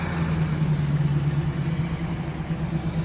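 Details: Truck with a bad starter, started by bridging at the starter with a screwdriver. Steady, even low rumble of the idling engine with no misses, knocks or starter noise; the engine runs normally.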